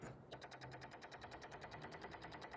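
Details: Nissan G35 sedan with recurring no-start and a low battery: fast even clicking about seven or eight per second from the engine bay, not from the battery or fuse box, like a relay chattering; cause not yet clear.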